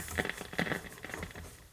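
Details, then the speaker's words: 1951 Northern Electric Baby Champ tube radio, tubes lit on a current-limited variac supply: irregular soft crackles and pops with no station or tone, even at full volume, from a leaky coupling capacitor on the output tube grid. "Turn the lights down here. Oh, it's crackling. So it is that's all it's doing."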